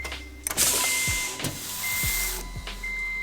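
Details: Honda FA5 all-motor build, first key-on before first start: short electric hum of a couple of seconds with a faint whir, then stops; healthy fuel pump priming.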